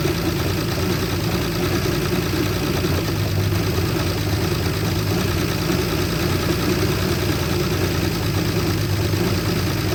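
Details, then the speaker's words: 1973 Jeep J2000 4WD, inline six, 3-speed: low uneven lumpy stumbling idle on fuel poured in to prime; fuel starvation, no fuel reaching the front because the tank's fuel line was fitted to the vent fitting. "all right something's going on it should have done Prime by now oh yeah yep I just figured out why I wasn't getting no fuel up front"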